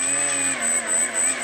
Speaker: engine pulsing okay this is exactly the problem now that pulsing was the it was basically signal drop and uh the motor wouldn't spin up or go to full power